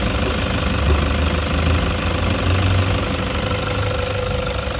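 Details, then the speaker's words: 2016 Toyota Hiace 3.0 diesel at idle, first sounding normal, then loud heavy rapid clacking at the front that follows engine speed; diagnosed as a seized alternator pulley rather than the engine. "pagka ganyan yung nangyari sumongsong yung ingay lumalagitik na malakas isa talag nag problema natin dito alternator pulley mga paps"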